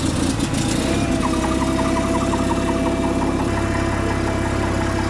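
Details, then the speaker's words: Vehicle starting during electrical system test with meter on battery; catches and settles into steady even idle, no knocks or misses; started fine, charging voltage (about 14.4 V) dipped while cranking then recovered. "So you saw us start the unit up, and you saw that it started fine and the voltage came back up a little bit."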